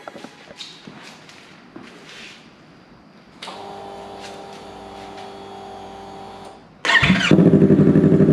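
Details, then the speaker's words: 2023 Yamaha R3 after a DIY install of an eBay KO Lightning full exhaust, first start in an enclosed garage: starter catches and it settles into a steady, even, loud idle with a rapid regular pulse; normal startup and idle. "I think it sounds pretty cool. It's a little loud, but we're also in this enclosed garage."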